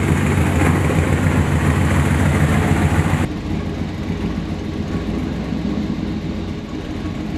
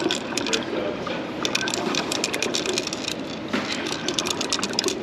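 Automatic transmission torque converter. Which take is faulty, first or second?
second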